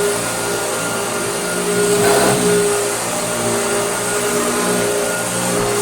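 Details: Hoover Dirtsearcher Junior vacuum after restoration, with its bent armature replaced by a new pattern armature: steady, smooth motor whine with no vibration, rattle or scraping; healthy.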